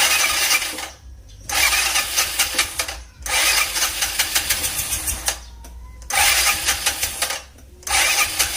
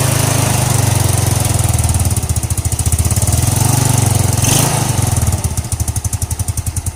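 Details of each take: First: Scooter that is hard to start in the morning, checked for ignition, fuel and compression: four cranking bursts of about two seconds each with a fast, even, light chug and no catch. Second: Single-cylinder scooter that was hard to start in the morning, after the faulty part was replaced and the head reassembled: steady, even low putter at idle with regular firing pulses and no ticking or knocking; runs normally now.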